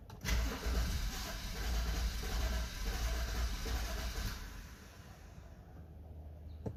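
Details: BMW F10 528i (2012), cold morning start. Uneven cranking catches roughly for a few seconds, then dies; it starts only after multiple attempts every morning when cold. Fixed by replacing the eccentric shaft sensor.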